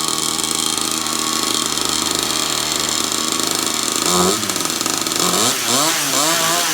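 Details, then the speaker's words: Newly assembled kids' dirt bike, first start, new pipes and engine breaking in: steady high-pitched idle, then quick throttle blips rising and falling cleanly; easy to crank, good throttle, runs healthy. "But it rode good and it's easy to crank. Throttle felt good."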